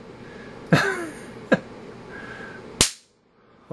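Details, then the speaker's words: UNI-T UT139C multimeter tested to failure with 3.7 kV transient surges: sharp cracking snaps a second or so apart, then a fizzing burst fading out as the board arcs brightly; meter killed. "looking through the preview screen green here the camera just shows it is all black but boy I'm telling you that board is lighting up it's like the 4th of July here in America"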